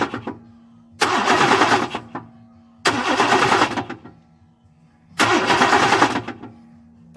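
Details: Chevy Silverado Z71 with a 350 crate engine and 4L80E transmission, cranking: three bursts of about a second each carry a harsh, rattling clatter instead of a clean starter whir.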